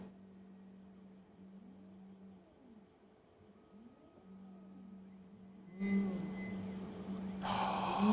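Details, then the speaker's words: Anycubic Photon resin 3D printer (the small one): faint motor hum with repeated squeaks, about two a second, as the Z-axis travels. The lead screw is dry and needs lubrication. "I hear it oh I hear it there's a squeak well at least that just takes a little lubrication"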